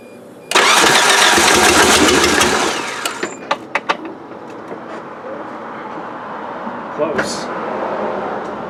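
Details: Suzuki Sidekick after an 8-valve to 16-valve engine swap, compression about 140, first start attempt after adding a separate distributor ground for spark. Loud rough cranking with a few sharp pops, never catches; timing suspected too advanced, not confirmed.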